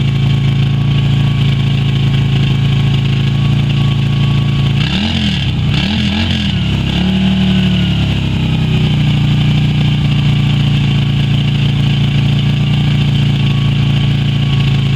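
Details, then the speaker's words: Yamaha Virago XV250 V-twin after 6 years in storage, old fuel black; carb primed by squirting petrol until it sucked through; steady, slightly lumpy idle with a brief wobble mid-clip, still burning off stale fuel. "once it was running I just squirted every so often until it had sucked through everything from the carb and now I'm just gonna give it a chance to run and blow over all the out of it"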